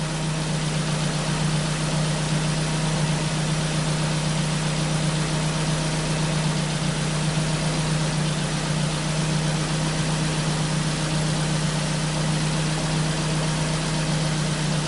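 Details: Ford Focus after misfire repair, replacing a sensor for a rich condition: fuel trim improved to about 14; even steady low idle hum with no stumble or skipped beats.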